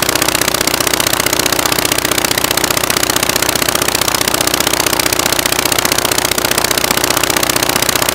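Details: Rebuilt Praga B2 aero engine, last run 1 September 1939, first run on homemade test rig bolted to a Vauxhall, spark advanced: loud, rapid, sharp crackly firing bark, running on only one magneto; the other doesn't work and needs rewinding.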